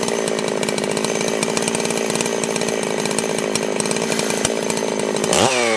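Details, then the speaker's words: Holzfforma G660 Pro chainsaw with about 15 tanks through it, after a timing advance of roughly an eighth to a quarter inch: loud steady high-revving buzz holding speed in the cut, then a clean rise; runs crisply under load. "yeah that that woke it right up"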